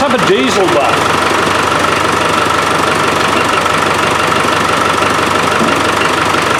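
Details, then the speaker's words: Land Rover 300Tdi diesel with a hard-starting fuel problem, idling after a new pump is fitted and dirty filter removed: even clatter at about three pulses a second, no stumbling or misfire; runs nicely, sorted. "so I think we've got that too I think we've got that sorted it runs nice yeah"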